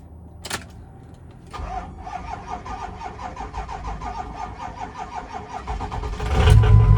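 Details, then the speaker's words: 6.0 truck sitting about two weeks: labored slow starter cranking, about four compression beats a second for several seconds before catching; owner says battery sounds dead, not confirmed. "It's been sitting for probably, let's go 2 weeks now. Oh boy. Battery sounds dead."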